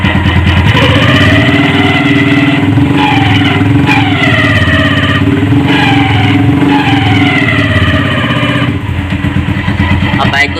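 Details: Hi Speed Infinity 150cc single-cylinder motorcycle running and revving with a loose rattle under the engine note, traced on opening to excessive play in the clutch basket causing wear and the noise.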